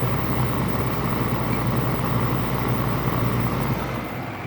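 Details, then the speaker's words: LG 5,000 BTU window air conditioner, compressor running with fan on high, afternoon sun on the condenser: steady low hum with dense airy rush, refrigerant flow audible, slight rattle not too bad; normal compressor running. "And you know, I said this thing gets pretty cold. And you can kind of hear the rattle. Right now it's not too bad."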